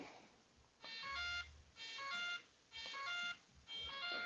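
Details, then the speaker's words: RC propeller warbird with a new LED setup, ESC disconnected from the radio: bursts of high beeping about once a second in a quiet room. This is the speed controller warning because the motor is unplugged. "so got some new stuff you're gonna hear beeping because my radio my uh esc has been disconnected"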